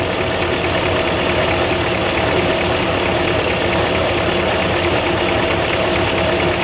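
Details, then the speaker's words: 1957 Chevy Bel Air convertible 283 V8 barn find, after a noise traced to the throwout bearing: steady, even V8 idle with a smooth, consistent beat and no misses or surges; normal idle, now sounding like a 283. "now it sounds like a 283"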